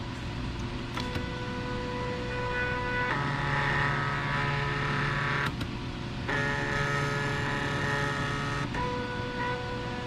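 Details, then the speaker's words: AutoDOD machine, first-generation black-box stepper controller at speed 3 (fastest): loud steady whining hum with pitch jumps as speed changes, about 84 dB against 56 dB ambient, nearly 30 dB over normal. "so you can see we get up to like 84 decibels so you know you're talking you know almost 30 decibels over uh what it normally is in this room"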